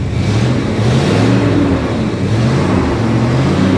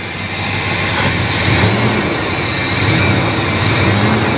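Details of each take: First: 1966 Ford Country Sedan V8, just revived after about 20 years, revved from the cabin: rough, steady low rumble with no squeal. The water pump, despite sitting dry so long, makes no noise; heavy exhaust smell inside the cabin. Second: 1966 Ford Country Sedan station wagon, first start in about 20 years: just after firing, revs sag and waver unevenly, then catch when blipped. The engine is stumbling and nearly dying.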